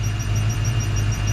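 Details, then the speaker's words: 1995 Saleen Mustang V8 after a snapped rocker bolt was drilled out and repaired. Deep, steady, lumpy but even idle with a faint belt hiss and no rocker clatter. Normal idle after repair. "sounds like it's running so not quang he's not playing it's not throwing a rocker all around"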